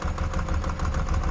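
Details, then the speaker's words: Ducati 748 brought in not running, first start on 3 L fresh fuel: deep lumpy idle with heavy low thuds several times a second; debris in the oil makes a crank fault suspected, not confirmed. "I also didn't make expect it to make those really, really horrible clonky noises. Um yes. Well, the good news is the bike starts. Just shut up. Uh the bad news is it does make a distinct clonky noise."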